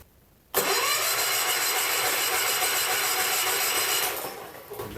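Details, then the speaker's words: John Deere 110 garden tractor, believed mid-70s, rescued from scrap after sitting for years: starter churns the engine about four beats a second but it never catches; no spark, no power at the coil, points suspected. "real good just check for power to coil be a good start wasn't it she won't make spark that way no juice at the coil"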